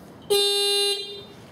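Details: Horn on a vehicle converted to 6-volt bulbs: a single clear horn blast of about two-thirds of a second with a steady buzzy tone, working normally, while the turn signal flasher relay has failed.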